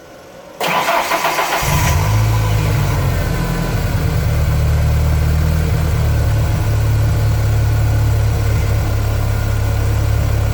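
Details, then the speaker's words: 1996 Ford Ranger minitruck, sat for years, tank varnished, new fuel pump and filter but still old gas: brief crank, catches within a second and settles into steady, fairly even idle; starts after long storage, needs tune-up. "i haven't made it down to the gas station to put any fresh in it but it'll run so let's give it a shot"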